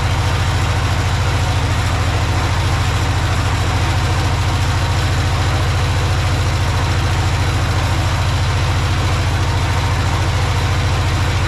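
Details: Project tractor's small engine, fed fuel from a Lucas oil additive container into the hose, with a slightly leaking fuel pump diaphragm. A steady, even low chug of about three and a half beats per second with no misses or knocks. Normal idle.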